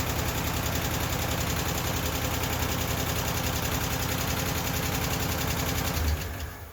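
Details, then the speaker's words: Ford LTD after lifter work and timing adjustment, started on its own battery without priming, no longer smoking: steady running with a light, quick tapping over the exhaust, no longer the earlier clacking from bad lash and lifters; valvetrain tapping. "it taps but it doesn't tap to the like as it was before where it was clacking like it was the lash was bad and the lifters were bad it was clacking now it's tapping"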